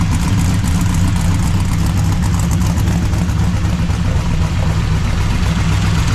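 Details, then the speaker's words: 339 stroker small-block Chevy V8 with exhaust fitted, after a Fel-Pro PermaDry oil pan gasket cured rear oil leaks, not revved much: deep even burble with steady lumpy pulse, no knocks or misses; normal idle. "you want to hear it run sure I know you do CU I've got the exhaust on it it sounds way [Music] different"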